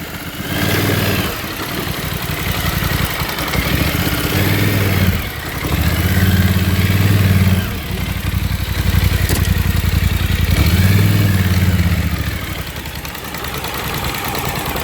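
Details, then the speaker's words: 2024 Polaris Sportsman 1000 with its rear spark plug submerged in a pond, throttle body dry: lumpy chugging that surges and sags on one cylinder; misfire from a wet rear plug and lead. "That's one cylinder firing right there. Throttle body is still high and dry. So this issue is definitely that plug."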